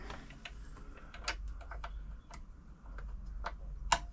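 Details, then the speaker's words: Frister & Rossmann 904 sewing machine turned by hand after cleaning and oiling the hook race during service: light scattered ticks and clicks, free and smooth with no grinding or binding; nice-sounding mechanism. "slap that across turn it by hand just make sure everything's moving around sounds nice nice sounding machine"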